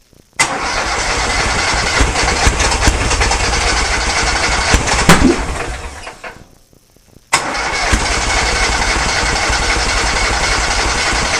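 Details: Kohler Command engine in a Cub Cadet garden pulling tractor after new fuel lines: fires and runs at a steady beat, cuts out briefly, then catches again and settles into an even idle.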